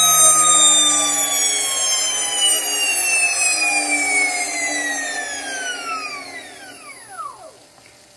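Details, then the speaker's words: Porsche 924S EV conversion, motor spun to about 6,000–8,000 rpm: a high, clean electric whine falling smoothly as it spins down. At most a very slight vibration and no earlier rattle heard, which was suspected from running without axles. Normal motor whine. "I heard like maybe it's some very slight vibration but no that's not the noise that we heard the other noise we heard was more like a rattle"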